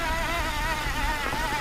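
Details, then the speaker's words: Kranked E Squared electric drive (18:1 step-down) climbing a very steep grade under throttle without pedalling: steady high electric whine with faint wavering pitch, smooth and unstrained. Normal motor whine under load. "And it's really not struggling or anything. That's impressive. I'm climbing like a really steep grade here."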